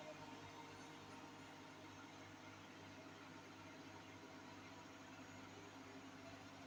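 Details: Hotpoint NSWM 843C 8kg Invermotor washing machine on a 1400 rpm spin. Steady coarse roar with gritty undertone as the drum spins up. Cause: worn drum bearings.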